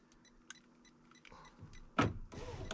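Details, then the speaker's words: 2000 Ford F250 Super Duty power window motor fed 12 volts directly; short electric whir with clunks as glass starts and stops, window moves up and down, showing switches and motor are good. "I have up and down control on the window just by giving power there so what does that tell me that tells me that the switches are good the motor is good"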